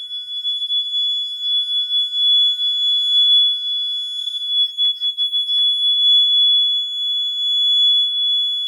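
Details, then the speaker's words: Gentex GX90 horn strobe, made November 28, 2000, with fixed 1575 candela strobe, battery powered: loud, steady high-pitched continuous tone without the three-beep pattern; sounding normally. "It's kind of like a smoke alarm, but just a continuous beep instead of the normal code 3 you hear with smoke alarms in your house."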